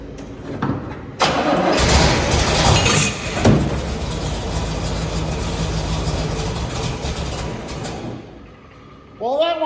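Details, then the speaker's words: 1972 Corvette big-block 454 LS5 barn find with a flushed fuel system and new carburetor. On starting fluid it catches and roars briefly, then sags and dies instead of idling. This is later traced to an ignition failure in the mechanical distributor. "It starts up, but it won't it won't keep idling. So, we got a problem here."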